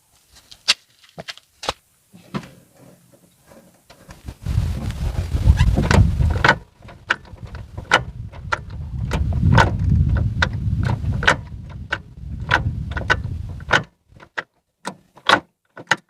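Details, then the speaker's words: Ford Fiesta Zetec Rocam, microphone beside the gearbox: sharp metallic crack-crack clacks like metal on metal over low engine rumble when engaging gears, especially second; gearbox oil level slightly low but acceptable. "quando engatar as marchas fazer um barulho estranho quando eu ainda tava todas as marcas principalmente a segunda andou engatar a segunda fazer um bar do concurso de crack crack como fosse ferro com ferro uma coisa estranha"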